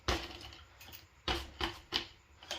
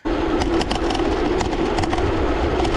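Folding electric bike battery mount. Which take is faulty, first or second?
second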